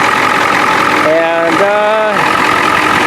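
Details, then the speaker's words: 1993 Ford F-250 7.3 IDI non-turbo diesel, 242,824 miles, with a makeshift modified muffler: even, steady idle clatter, no misses or stumbles, no smoke, a voice-like tone partly covering the middle; healthy idle. "You can see it sounds healthy, so look at that thing. No smoke."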